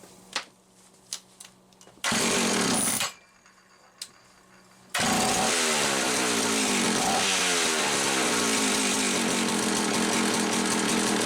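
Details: Homelite 360 chainsaw that wouldn't run consistently, after repairing a misaligned carburetor (intake) bushing, bench test run with mixture about 1¼ turns: a couple of weak pops, then it catches and holds a steady, even high buzz with no surging or dying; normal running.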